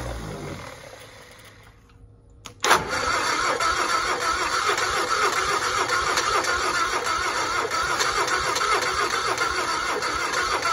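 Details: 1960 Onan industrial engine for a homemade Model T replica, first start in many years; fuel pump vacuum shutoff lever propped open. Steady starter churn, three to four beats a second, never catches; carburetor float bowl apparently not yet filled, fuel just starting to come up.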